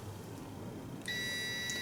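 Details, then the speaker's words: Continuity test on a new DENSO/NTK heated O2 sensor, disconnected at its connector, with a POWER PRO meter across the two white heater wires: steady high continuity beep holds unbroken, showing the heater element is intact and normal. "what you're testing there is the continuity and the if I touch the two back wires you see I don't got nothing there but if I touch the two wi wires I do have have continuity so that is my heater"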